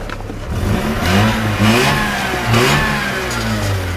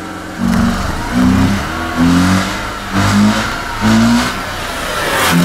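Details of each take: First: Mazda RX-8 rotary, misfire fixed by replacing an ignition coil (low compression had been feared), exhaust reconnected; revs rise and fall smoothly with no stumbles or popping. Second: Mazda RX-8 misfiring, revved in repeated blips about once a second with an uneven, stumbling note; it smells rich, and a clogged catalytic converter or stuck injector is suspected, unconfirmed.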